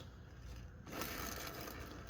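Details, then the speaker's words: 4L60E automatic transmission being prepared for a 1950 Chevy 3600 pickup; the hand-spun rear planet starts quiet, then turns gritty and scraping with a chewy, rough feel and side-to-side play. Worn rear planetary gear set; replace it. "The rear planet sounds kind of chewy."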